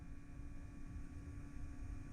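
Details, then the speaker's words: MK3 VW Jetta with a New Old Stock Votex keyless entry kit, first test after fitting the new central locking pump with grounds and vacuum line connected. A steady low electric hum with no clicks or lock thunks: the pump runs but the locks do not move, possibly from a vacuum line leak. "didn't go down let's try to go up H I hear the pump working"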